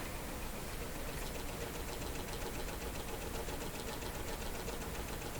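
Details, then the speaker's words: 60-year-old Admiral 5E38X five-tube clock radio held up to the microphone: a fast, even buzzing rattle with fine ticking over a low hum; worn, loose bushings in the clock motor. "So that's the sound of a worn out clock. You know, there are, of course, inside the clock, various places where there are shafts going into bushings, right? And they're supposed to be nice and tight, but after years and years and years, they get loose."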